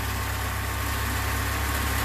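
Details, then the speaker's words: Alfa Romeo Spider at idle after a tune-up (new cap, rotor, wires, plugs): steady, even low hum with no vibrations, coughing or sputtering. Smooth, healthy engine. "But otherwise, real good smooth running engine, no vibrations, no coughing or sputtering."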